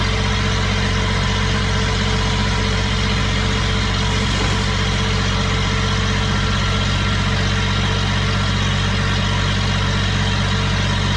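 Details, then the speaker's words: Small Kubota diesel driving a hydrovane air pump, running after a new 8-tooth-pinion starter fitted; steady, even beat with smooth low rumble, no knocks or misses; normal running, though the pump makes no air and stalls when the tap is shut. "but at least the engine runs"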